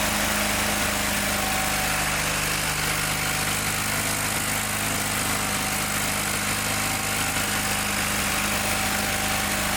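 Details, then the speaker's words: John Deere 318 lawn tractor engine recently given a valve job runs flat, unsteady and labored with no crisp firing beat, gets very hot fast and lacks power; ignition points barely opening (gap too small), cheap parts blamed. "To me, it sounds like it's got an ignition problem because it's running, but it got real hot real fast."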